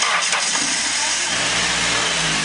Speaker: There you go. Now it started.